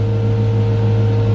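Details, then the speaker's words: Chevrolet Caprice after new wiring harness and new alternator, charging 14 V (previously 18 V killing battery), first start: steady, even idle with smooth low hum, slightly low, no misses or knocks; normal idle. "Damn, it's even idle and a little low"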